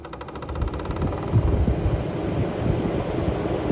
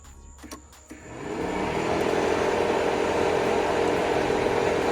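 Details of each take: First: 1989 Corvette C4 TPI L98, main radiator fan running after rewiring: steady fast clicking, about three per second, over the fan whir. Nothing visibly touching the fan. Owner suspects the fan motor and plans to replace it. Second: 1989 C4 Corvette with TPI L98 engine, ignition on, auxiliary fan switch wire grounded by hand to test: the fan spins up into a steady, even whoosh with no rattle; the auxiliary fan works normally.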